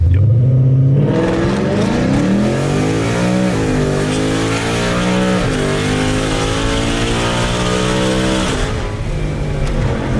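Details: 2020 Ford Mustang GT V8 with ported intake manifold, longtube headers and cold air intake, after a fix for a WOT bog, launched from a stop in Sport Plus mode: strong, clean full-throttle pull, pitch climbing smoothly with no misfire or stumble.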